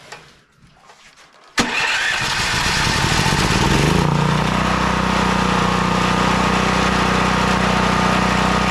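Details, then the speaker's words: Westinghouse WGen9500 generator that would not start from no spark, now running after the no-spark fault was fixed. It catches after a pull and settles into a steady, loud governed drone with no misses, though producing heavy smoke. "it seems to be running pretty good besides the massive amount of smoke in this place"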